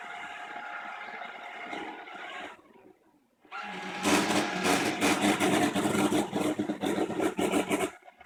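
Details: New iClebo robot vacuum, used two weeks: steady hum then loud harsh screech pulsing about three times a second near end.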